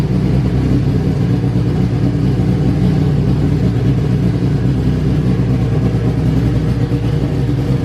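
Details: Honda Civic Si EK coupe, bone-stock B18C1 GSR with Precision turbo, new BKR7 plugs, high-impedance injectors checked: loud choppy uneven idle that never settles, smells rich, "sounds cam"; rough rich idle, fuel pressure regulator at 30–35.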